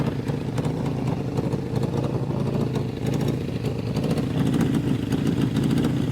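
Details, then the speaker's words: 1981 Suzuki GS650GL inline-four, just revived, carbs not yet synced: steady idle with a sharp, uneven ticking chuff on top of the exhaust note, blowing out rust; exhaust leak. "sounds like we on an exhaust lead somewhere and it looks like it's probably right about here maybe somewhere else feels like there's a hole right there"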